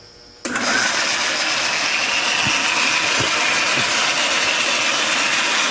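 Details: Atlas horizontal mill restarted after redrilling the step pulley set screw holes larger to fix damaged threads; starts cleanly into a steady even whir with no knocking or grinding, running normally.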